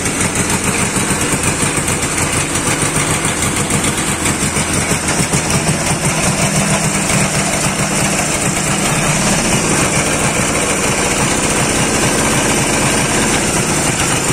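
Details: Dnepr 10-36 motorcycle engine after replacing worn connecting-rod bearing shells that caused knocking: runs fast and even with a steady beat and no knock; bottom end sounds healthy.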